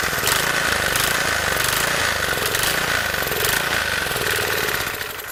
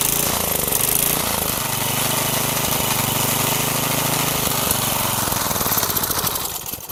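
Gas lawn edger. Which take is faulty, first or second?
first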